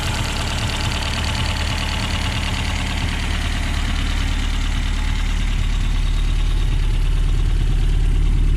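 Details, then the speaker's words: 1969 Reliant Regal 850cc engine on test after hours of tinkering: even, low, steady tick-over with no knocks or misses. Water pump pulley sits about 5–6 mm out of line with the crank pulley. Normal idle. "after a few hours of tinkering and messing around we found that this engine does tick over nice"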